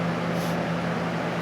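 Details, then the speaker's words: 1989 Lasko Galaxy box fan, model 3723, on high after its dry bearings were oiled: smooth, even airy rush with a faint steady motor hum and no rubbing or ticking. It runs quietly. "you can hear, It's nice and quiet. It runs real smooth now that it was oiled."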